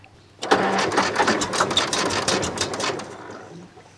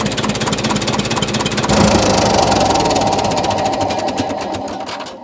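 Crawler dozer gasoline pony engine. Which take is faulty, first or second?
first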